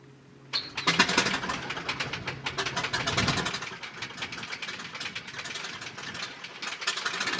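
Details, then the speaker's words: Piper Super Cub widebody after refurbishment and tune-up, hand-propped on the ramp because of a dead battery: catches at once, then a steady, even popping idle of about three beats a second. "Fortunately, this thing's pretty easy to start. I got it all tuned up right, and it starts easy by hand."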